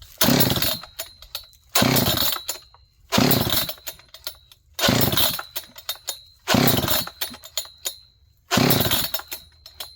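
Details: John Deere CS81 chainsaw leaking excess gas: six pull-starts on choke about every 1.5 seconds, each a brief rattling whir that dies without catching; it won't fire, possibly flooded, cause not confirmed.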